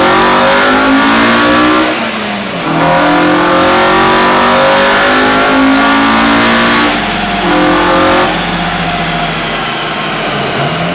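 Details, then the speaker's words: Honda EM1 all-motor build during tuning, currently stuck at 158 on unknown fuel: two full-throttle pulls climbing cleanly, hardening into a sharper howl up top. VTEC switching over normally. "but let's do a couple poles and let you hear this vtec because it is sounding so good let's do it"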